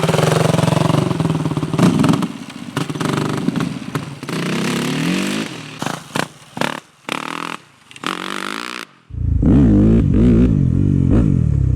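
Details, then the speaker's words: 2008 Yamaha WR250F after carburetor rebuild, jet and needle changes and other key changes. Quick crisp throttle blips rise cleanly and drop back with no stumble or bog; it starts easily and runs smoothly. "So after rebuilding this carburetor, changing some jets around and needle, as well as making some key changes, this bike now starts easily, runs smoothly, and has awesome throttle response, much better than it did when it arrived."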